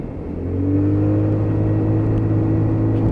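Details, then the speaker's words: Lexmoto Titan motorcycle on road ride test for a fuel issue, around 9-10k on odometer; engine note climbs smoothly and holds steady as throttle opens, no hiccup, stumble or misfire; clean healthy throttle pickup. "give it a handful of throttle there's loads of power there you can hear that engine just pick up"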